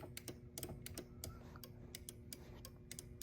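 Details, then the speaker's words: 1993 Chrysler Fifth Avenue: soft uneven clicks from the door with no motor whir when rear power windows are operated from the driver's switch; rear door switch doesn't click at all, power distribution issue suspected. "but we can hear them clicking right west yep and your button does not work nope it doesn't even click in the door with your button"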